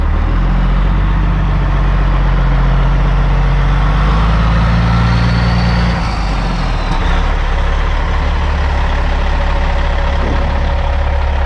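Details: 2004 Kenworth W900L with CAT C-15 diesel, project truck, rolling slowly into the shop: deep steady diesel rumble, no knocks or misses; running normally.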